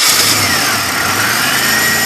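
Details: 1999 Buick Regal GS with a no-crank, no-start problem, started via a temporary workaround with the key in run and an under-hood button pressed. A short crank, then it catches and runs evenly: a normal start. Suspected cause is anti-theft, a relay or the ignition cylinder.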